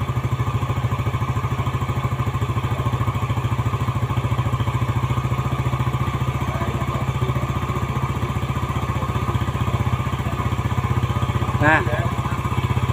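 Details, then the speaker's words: Yamaha Jupiter Z after rebuild, carburetor air screw set for the highest idle and rpm backed off: quick, even putter with no misfires, rattles or hunting; the idle mixture is now correct. "ini sudah ya pas ya kita kendorin pergi untuk rpm-nya nah ini untuk setelan pas"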